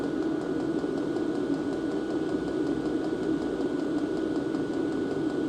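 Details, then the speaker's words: Diesel parking heater at the intake with the silencer fitted, measured 63 dB, much quieter than at the start; the intake where the fan sits is judged the main noise source. Soft, even fan whir with a faint whistle; normal running. "63 Dezibel ist nun deutlich leiser als die Ausgangslage."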